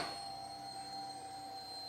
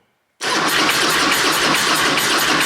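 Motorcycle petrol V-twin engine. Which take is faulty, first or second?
second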